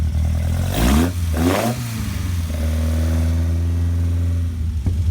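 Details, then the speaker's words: 1968 Morgan Plus 4 with Weber carburetor, cold start after sitting since yesterday, two accelerator stabs: quick blips with a hollow intake roar, then a steady, deep idle; normal cold start idle. "Okay, so we're going to do just a cold start. It hadn't been started since yesterday, so maybe you can hear the electric fuel pump ticking away."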